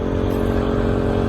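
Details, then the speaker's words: Small 1800-watt portable generator running outdoors on a snowy morning beside a converted bus. Steady, even hum at constant pitch with no surging, misses or rattles; normal running. "You can hear I have the generator running."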